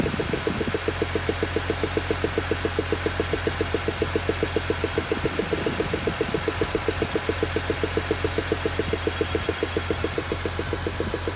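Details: BMW E46 M3 S54B32 at warm idle: sharp, very regular tick about two and a half per second over a steady hum; strange ticking noise, source unidentified.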